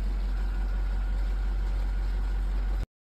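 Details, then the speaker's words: Whirlpool WRF993F refrigerator with a fresh-food compartment not cold, after repair behind the evaporator cover (thermistor/fan/damper assembly): the fan gives a low, even hum, then cuts off, with no scraping or wobble. Temperature is already dropping to 44, so the fan is normal. "all right guys you can see the temperatures dropping already we're already at 44. and that's since the fan is running so"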